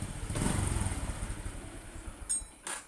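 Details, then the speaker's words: Honda Supra X 125 single with modified lighting charging setup, lights switched off: slow, uneven idle with beats sagging and fading as if about to stall; idle speed set too low, mechanic says raise it slightly. "ini gasnya emang kurang gede nih mas, gedein dikit."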